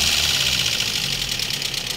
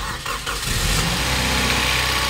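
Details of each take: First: Toyota Vios petrol engine after overhaul and oil sludge cleaning, idling and revved: loud, sharp, rapid valve train tapping from uneven, incorrect valve clearances. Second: Toyota Vios petrol engine after overhaul, oil sludge cleaning and valve clearance adjustment: cranks, catches and settles into a steady, even idle, the earlier typewriter-like ticking from the top end now gone.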